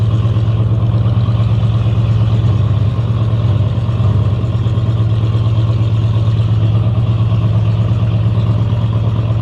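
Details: 1960 Chevy Biscayne, running in timing but progressively worse, shooting fire: heavy, low, uneven drone with a loose rumbling beat under light load; crankshaft and rod bearing damage.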